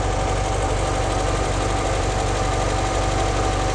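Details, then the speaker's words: 1958 Porsche 356A Normal Zenith carburetors during tune-up, after synchronizing airflow with a Uni-Syn and raising idle slightly: fast, even idle with no misses or surges, carbs roughly balanced. Normal idle. "so they're both roughly the same that's a good place to start the engines running great"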